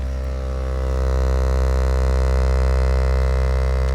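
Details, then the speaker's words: Jeep Wagoneer S (all-electric), front door speaker playing a 65 Hz tone: deep steady low tone with a buzzy rattle as the door panel speaker grill vibrates; rattle isolated by touching the grill; a known issue with door panel revisions. "About 65 hertz is when I start to hear the door panel rattle."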